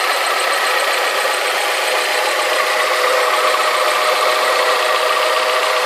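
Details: Alfa Romeo 156 2.0 Twin Spark petrol idling after exhaust manifold and metal gasket replacement, manifold bracket re-installation plus downpipe bolt upgrade: quieter, but a light fast metallic 'pinking' tick remains, less than before.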